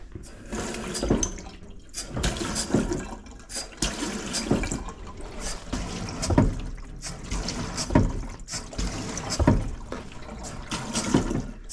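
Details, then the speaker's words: Household cold water supply: running water with heavy juddering thumps about every 1.5 seconds, i.e. water hammer. Suspected to come mostly from the stop tap, plus loose pipes; planned fix is replacing the stop tap and fitting a whole-house shock arrestor. "horrendous water hammer. Now, I think that most of this is coming from the stop tap."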